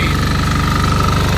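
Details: Fermont MEP-831A military 3 kW 60 Hz single-phase diesel generator, built 2001, rebuilt 2010, 2.2 hours, new oil and fuel, just started after preheat: steady, even chug with constant tone, no knocks, misses or speed hunting; normal running.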